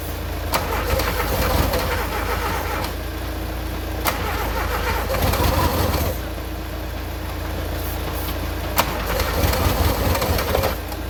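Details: VW Golf Mk2 petrol unrun for 20 years, about -2°C, fuel had been leaking: three cranking spells, starter about four beats a second, never catches; cranks but won't start.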